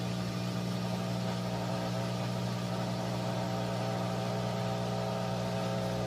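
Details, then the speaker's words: 3-year-old Whirlpool Cabrio washer, full load of mostly jeans and towels, final high-speed spin; steady even low hum, smooth unbroken drone, no knocking; normal spin cycle. "okay we're on the final spin it's in a high-speed spin it's got"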